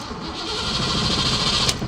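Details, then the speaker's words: 1987 Ford Mustang Fox body notchback, 5.0 V8, after being parked: a couple of seconds of cranking with fuel heard, but it never fires. Cause was a dead battery from a failed alternator; it was then jump-started. "all of a sudden now it does not start again so I will crank it and it doesn't start I hear fuel but it seems like it's not getting"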